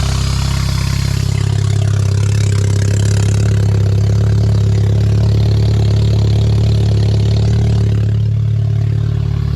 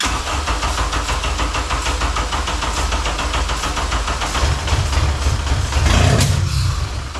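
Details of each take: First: K24A2-swapped 1987 Acura Integra first running after new MAP and intake air temperature sensors, and 12 V to both cam position sensors: catches and settles into a steady loud idle through a short exhaust, even beat, no knock; running normally. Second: 1987 Acura Integra with a swapped K24A2 and 6-speed manual, first start attempt on starting fluid: it catches, runs roughly, surges once, then fades. It has spark and the timing seems correct; fuel pump or injectors are suspected.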